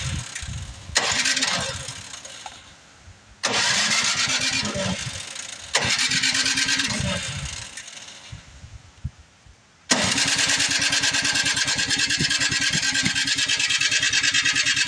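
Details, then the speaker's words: Like-new Craftsman snowblower, recently tuned up, that won't start: after priming, repeated electric-start cranking with sharp pops and coughs, backfiring through the carburetor with the throttle closed. A valve problem is suspected; no run. "know what I got the throttle all the way close too that doesn't help we backfiring out the"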